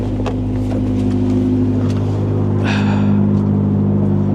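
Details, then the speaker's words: Square-body Chevy truck at auction, manual transmission, big muffler, no power steering, blower motor not working: smooth, even low idle with steady pulse, no ticks, knocks or misses; runs great. "Power steering, as I said, there's no power steering. Man, it runs like a top though."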